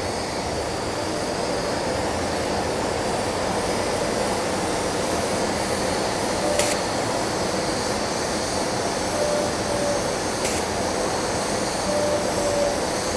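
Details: Ventec dust collector filter, well-sized, at start-up: a steady fan rush with two sharp, short cleaning air blasts about four seconds apart; the cleaning pulses are working normally.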